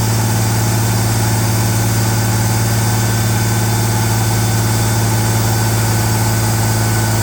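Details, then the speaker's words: Ford Bronco under restoration, just restarted, cold: fast, steady idle well above normal, expected to drop as it warms; later it came down but stayed slightly high. "Well, so far so good. I'm uh going to pause right here and we'll let it see if it'll warm up and the idle will come down any on its own and then uh we'll go from there."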